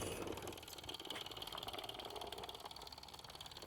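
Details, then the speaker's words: Restored Mamod TE1 toy steam traction engine running with a loose drive band that slips; quick, light ticking about three to four a second with hissy top and uneven beat. Newer bands fit these older models poorly. "that's the problem i'm having with the drive bands i didn't get a tighter one"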